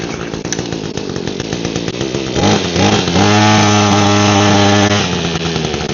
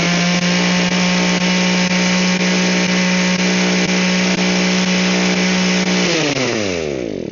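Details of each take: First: Echo hedge trimmer with a broken primer bulb, fueled with fresh fuel and started on choke. The small 2-stroke idles raggedly then revs to a steady buzz with no cutter chatter because the blades are seized. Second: Echo hedge trimmer whose gearing had locked up, after loosening the gears: steady, even buzzing at constant speed, then a smooth wind-down at shutoff. It now runs properly.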